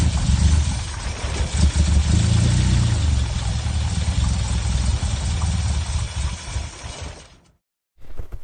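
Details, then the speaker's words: Fire-damaged car: engine settles into steady low rumble with slight unevenness, then shuts off; running properly. "what you just saw then was my car running midweek SEP just came out to my car like after I finished work"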